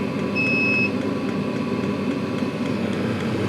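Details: Chinese 12V/24V 5–7kW diesel air and water heater at 10 V, fan 3,400 rpm, pump 3.6, water 30°; steady fan whir with even combustion hum, no surging or popping, lit and running normally.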